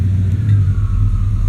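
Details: Truck idling in gear after IAC valve cleaning (torque converter suspected, lockup gone): low, heavy, strained rumble with valves ticking, engine lugged down like a slipping clutch, only in gear; lights make no difference, voltmeter fine, not electrical; power-braking stops it; cause suspected, not confirmed.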